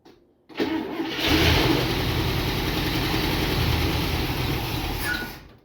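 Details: International Scout engine, first start in about 13-15 years after new spark plug wires, no gas line connected: cranks, catches on starter fluid and fuel poured into carburetor, revs roughly about four seconds, short squeak, then dies.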